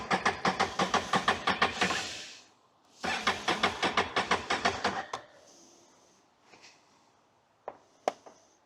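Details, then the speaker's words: 2022 Can-Am Outlander 650 XT cranking in two bursts at about three beats a second without firing, after reconnecting the fuel pump connector. It won't start and the 5 amp fuel pump fuse keeps blowing. "it did not start and that 5 amp fuse is blowing as well so I might try one more"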